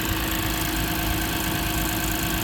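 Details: 2006 Lexus IS250 AWD, running after a no-start, no-crank fix with security light still flashing: steady, even hum, no misses or knocks; normal idle.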